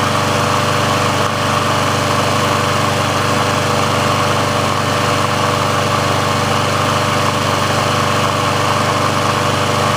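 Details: Briggs & Stratton engine on a Sears Craftsman mower after service/repair, warm with the auto choke open: steady, even buzz at constant pitch with no surging, misses or hunting. The auto choke works as it should, so warm running is normal.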